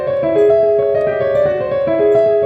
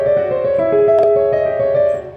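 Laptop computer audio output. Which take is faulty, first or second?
second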